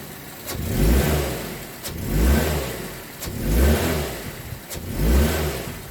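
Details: 2006 Mazda 3 2.0L, driving normally in gear: engine note swells and fades with sharp pops and rattles about every second and a half; heat shields ruled out, worn engine mount suspected and later replaced.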